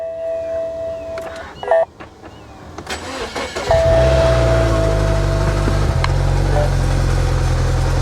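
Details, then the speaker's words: Dodge Neon SRT-4 at salvage auction, jump-started with booster pack, check engine light on: starter cranks, engine catches and settles into a steady low drone with an odd tone on cold start; cause unclear, hoped it goes away. "now see hopefully that noise goes away"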